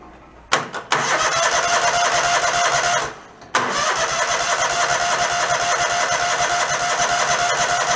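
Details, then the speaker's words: Mid-90s Toro Wheel Horse riding mower engine, after drive belt replacement: catches after a short crank on full choke, runs evenly a few seconds, then dies; suspected carburetor fuel shutoff solenoid not getting power, starving it of fuel. "No, what might be going on is that if the carburetor has a fuel shutoff, it's probably the fuel shutoff not getting power. So it's only using whatever fuel's in there and it disappears."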